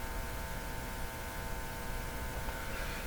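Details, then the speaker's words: Philco #53 shortwave tube radio during RF alignment: a low, steady hum with a faint buzz coming from the speaker, cause unknown. "can hear the radio humming a bit here"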